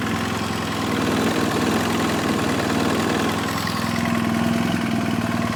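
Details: 2007 BMW F800S twin, hot engine at idle: light hollow knock on every firing beat, suspected piston slap; head gasket is also weeping.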